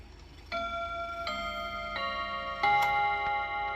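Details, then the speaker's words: Freshly reassembled mechanical chime clock after first service, chimes tested before starting it ticking: quarter-past chime, four clear bell notes over about four seconds, no buzz or dull strike; chime healthy. "So before we get it ticking, let's just make sure our chimes are working. Should be a 15."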